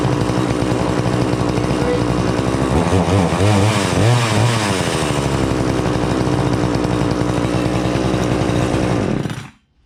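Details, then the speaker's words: Prorun two-stroke chainsaw after cold start (primer bulb up to 10 times), brought to idle then switched off: steady buzzing, brief dip mid-clip, then even running until shut off; normal running and idle. "once it starts up, you're going to see me take my foot out of here, and you'll hear the engine kind of going."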